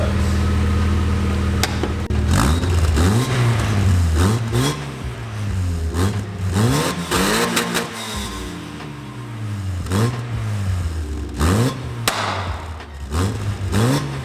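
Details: Mazda MX5 after fitting a new exhaust replacing the old leaking one: clean, deep exhaust note rising and falling with repeated throttle blips, no rasp or puffing leak; system sealed, normal exhaust note.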